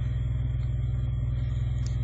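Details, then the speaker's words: EJ1 engine with acceleration jump/misfire complaint, at idle around 600 rpm: steady low rumble with even slow beat, no stumble or knock; low but normal idle. "You can see my idle. I don't know if that's normal. That's pretty damn low. It sounds fine,"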